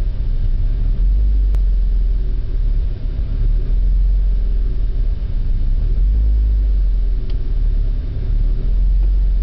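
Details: Faulty oxygen sensor on a BMW E36 gives a low, uneven idle that swells and sags every few seconds, a rough idle.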